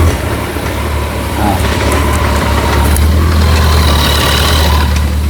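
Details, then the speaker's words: Kawasaki ZZR1400 with about 28,900 km that sat stored a long time: loud idle with an uneven mechanical rattle from the clutch side, much louder when the clutch is pulled; a dent was found in the clutch basket. "problem with this bike noise coming from the clutch side a lot the noise is really huge man you can visibly listen it from distance"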